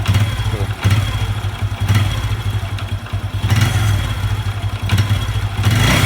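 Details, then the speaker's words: Honda Revo 110 (old Revo "jangkrik"): thumps come and go roughly once a second over an uneven engine note, worst after revving and releasing; owner unsure whether clutch or loose primary. "Ini apanya ini kalau es kopling apa laut primer yang kendor kita belum tahu ya kita belum lokal"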